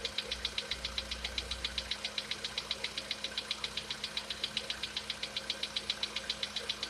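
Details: Sharp, even ticking knock about 2.5 per second over a quiet idle on a VW Polo Sedan with CFNA engine; top-end knock, cause not pinned down, and the owner tests whether decarbonization cures it.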